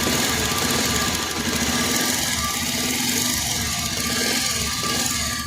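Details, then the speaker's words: Bajaj Pulsar 125 E20 single at idle in neutral, about 5,837 km: fast, light top-end tick-tick; timing chain and tensioner checked OK, cause found to be a worn valve guide after opening the head. "इसका वल का guide वो cut चुका है आप लोगों को confirm बता रहा हूं इसका वॉल का गाइड कट चुका है इस इतना साउंड कर रहा"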